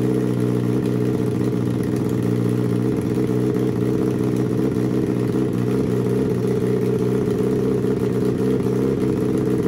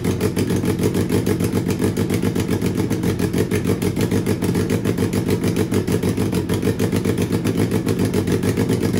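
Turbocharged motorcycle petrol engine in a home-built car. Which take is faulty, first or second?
second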